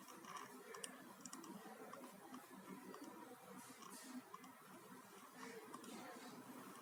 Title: HP Notebook making continuous clicking sound.